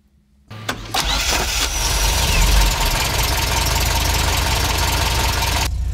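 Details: Classic car (Fiat or MG, unclear which) on a starting demo, clutch pressed, ignition on: brief starter whir, then the engine catches cleanly and settles into a steady, even idle with no knocks or misses; normal cranking and start.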